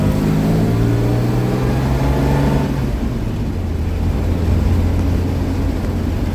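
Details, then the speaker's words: 1949 Chevy truck on a hot summer drive, 6-volt horn and 6-volt horn relay run on 12 volts; strong steady honk about three seconds over the idling engine, stops cleanly, normal horn operation. "That's 12 volts being put through a 6-volt horn and horn relay. As you can see, it works good."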